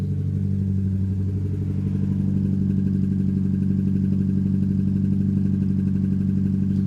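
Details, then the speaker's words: Mazda MX5 petrol engine idling after new HT leads and parts fitted, still shaking badly with an uneven lumpy misfire pulse at the exhaust, only slightly better; owner suspects plugs, leads, intake manifold gasket or injectors. "right so the engine is still shaking like hell it does sound slightly better"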